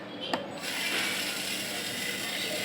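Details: Sewing machine motor, reassembled after being taken apart for a humming noise, spins up after a brief click and runs at a light, steady pitch with no hum or drag; it runs healthy after the repair.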